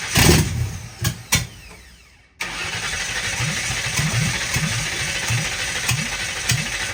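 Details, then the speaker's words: 1960 Ford F100 shop truck started for the first time in years, with a temporary fuel setup, new carb jets and open headers: cranking catches and the V8 fires loud and lumpy, then holds a steady burbling idle; it starts and runs fine. "She starts under her own power. Sounds really healthy."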